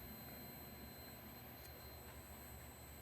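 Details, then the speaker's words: Toshiba 430CDT laptop at power-on: thin constant high whine near four kilohertz over a low rumble, the backlight inverter singing loudly while it posts; backlight inverter whine. "Oh, yep. There it is. God, that inverter is loud. Wow. So, yes, it posts."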